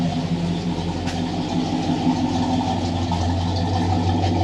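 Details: 1968 Plymouth Satellite V8 at idle, freshly completed and just started, with a new standard high-volume oil pump showing 60–70 psi oil pressure and the temperature gauge still reading cold. Even, slightly lumpy idle with a steady low burble, no knocks or ticks; healthy engine.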